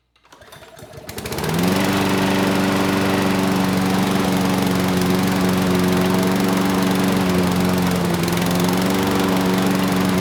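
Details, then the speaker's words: Free curbside Craftsman mower (917.374541), Briggs Quantum engine 128T02, after air box refit: starts first pull, then a loud, heavy, uneven drone; owner thinks it's running rich, possibly from a stuck auto choke. "it started first pull and the drive system works but the engine it wasn't sounding great it sounded like the carburetor was running the engine Rich you know potentially the choke is stuck hopefully that's it"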